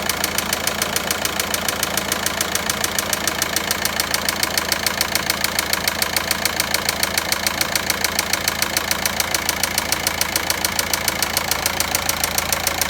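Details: Volkswagen Passat 1.9 diesel at steady idle with crisp, very regular tapping around 207 per minute clearly above it; engine knocking, source unknown.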